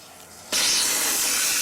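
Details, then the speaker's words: Air compressor tank with rusty, hard-to-turn drain valve opened by hand: sudden steady high hiss of air and water spraying out under pressure, water running toward the person; normal tank drain. "the water goes all over you, so it starts running towards you, as you can tell."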